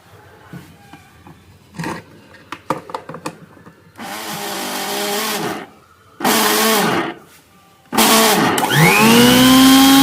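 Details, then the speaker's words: Butterfly mixer grinder shaken while running: "kadak kadak" knocking sound and vibration, rough wavering whine with rattling; worn top motor bush, fixed by replacing the bush (six screws on the bottom opened). "இந்த மாதிரி சாப்பிட்டு ஆட்டுனோம்னா கடக் கடக் கடக் அப்படின்னு sound வருதுங்க. கடக் கடக் அப்படிங்கற மாதிரி sound வருது. இந்த மிக்ஸில டாப்ல ஒரு புஸ்தான் போயிருக்கும்."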